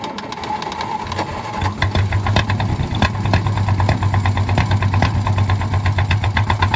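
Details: 1951 D8 2U dozer, sitting since 1990: the small pony motor pops fast while its exhaust preheats the big motor's intake, which is cranked through its decompression positions, then the big diesel catches with a deep, steady chuffing beat and runs normally.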